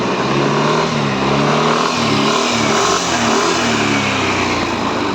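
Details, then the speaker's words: Yamaha NMAX V3 155 at about 9,500 km, after repairing an error 12 burnt wire that stopped it starting: when free-revved with traction control on, revs climb then repeatedly dip and catch as the engine is cut. "Umaandar. Pag ni-rev natin, naka-on ang traction control kaya"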